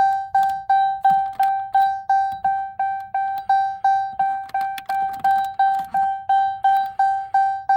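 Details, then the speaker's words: 2018 RAM premium gauge cluster before the chime delete: clean repeating ding, about three per second, bright and decaying; it comes from the chime module on the cluster circuit board, which cannot be disabled via OBD. "And I'm going to reach behind here and show you this thing. This is the thing making that noise."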